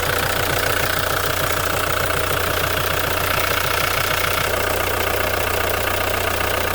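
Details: Ford Mondeo 3 engine at idle: sharp, even ticking knock about two and a half per second over steady hum; owner suspects a failed valve on a supply line, later plugged; cause unconfirmed.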